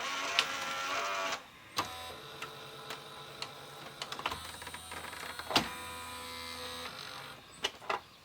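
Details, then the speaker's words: Sony SLV-676UC VHS VCR with a tape stuck inside: small motor whirs in short runs, stops and restarts with faint clicks, never finishing the cycle; the mechanism is jammed and won't eject. "Nope, she just does not want to eject. See, it's trying. Yeah, it's trying."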